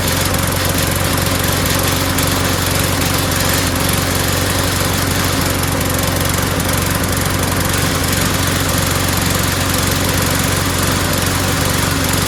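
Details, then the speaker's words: Small single-cylinder lawnmower runs with an uneven, sputtering beat that never settles after a part swap; owner doubts the carburetor and suspects cloudy, water-saturated gas in the tank, not confirmed. "you know it doesn't sound so good it sounds sputtery so I don't think it's the carburetor"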